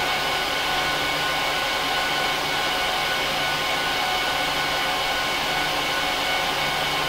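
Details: HP ProLiant DL380p Gen8 server (24×4GB DIMMs, eight 300GB 10,000 rpm drives in RAID 5, both PSUs, no cards) during POST/boot: loud, steady rushing whoosh with faint thin whine tones, perfectly even; fans flat out at startup, normal, quieter once idle.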